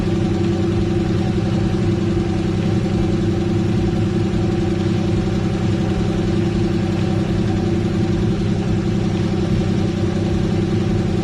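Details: Engine run before removing cams to locate a knock thought to be rod knock: steady idle with fast light ticking over the hum, top-end noise from seized hydraulic lash adjusters (HLA lifters), not rod knock; lifters then freed/redone.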